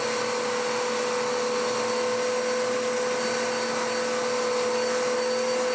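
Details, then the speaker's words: Dirt Devil DD6114 Electrolux Contour-clone upright vacuum, belt smelling hot, before restoration: steady even motor hum with a clear unwavering high tone, no rattle or labouring; airflow much improved; normal running. "It's running better now. The airflow has improved no end. That's not bad. That's astonishingly good, actually."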